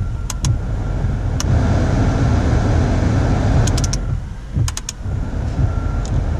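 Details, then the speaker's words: Car idling hot with headlights, wipers, defrost and AC all on after replacing the squealing AC belt; steady low rumble, a few light clicks, no belt squeal. Belt drive now healthy where it once squealed cold and under accessory load. "right there we have it you know the car is good"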